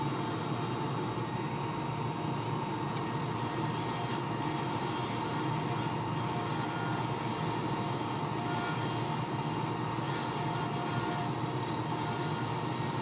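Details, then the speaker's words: Wood lathe turning a laser-cut bow tie pen blank with a skew: thin steady high whistle over lathe hum and cutting; owner believes the live center bearings are going out, replacement planned. "I apologize for the squealing noise you're hearing in the background I believe that the bearings are going out in my live Center so we're gonna have to replace that soon"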